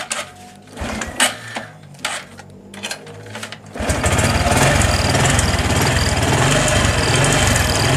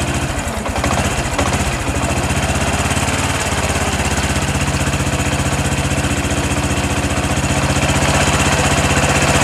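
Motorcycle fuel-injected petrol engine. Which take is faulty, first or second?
first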